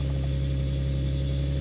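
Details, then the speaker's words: Nissan/Infiniti G37 with VQ37 engine at idle just after replacing the knock sensors and sub harness: smooth, even low idle with a steady pulse and no knocks or ticks, its smoothest start in a long time; normal idle. "seems like it's running well it started up the smoothest has started up probably since before"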